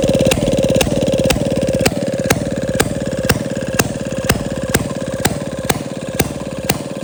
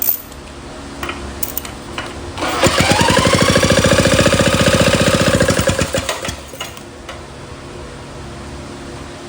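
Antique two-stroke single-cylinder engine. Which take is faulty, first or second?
second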